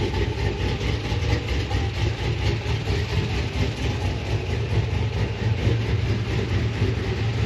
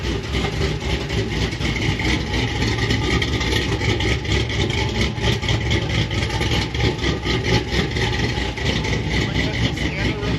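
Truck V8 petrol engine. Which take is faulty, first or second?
second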